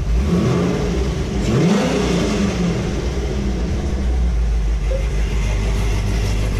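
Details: Corvette V8 just after Texas Speed cam, dual valve springs and valve seals install, first run burning off oil: lumpy, choppy idle with a few clean throttle blips, deep low rumble; normal healthy cammed idle and revving.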